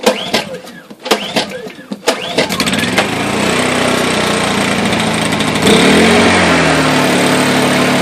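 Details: Honda EU2000i/EU1000i inverter generator after carburetor rebuild for hard starting and surging, started on choke: a few sharp pull-cord tugs, then it catches and settles into a steady, even run without surging or hunting.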